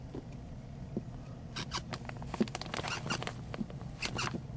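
Footsteps on a wood floor bring short, sharp creaks and squeaks where a board rubs its joist.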